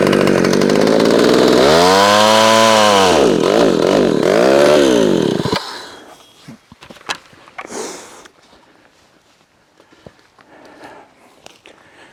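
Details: McCulloch SP-125 chainsaw rejetted two sizes down to .028 and getting warm: a high screaming note that rises and sags in the cut. Slightly lean under load; owner wants a jet between .028 and .029.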